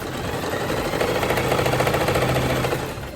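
Quick, even needle clatter at roughly three or four stitches a second over a smooth motor hum; a healthy machine sewing.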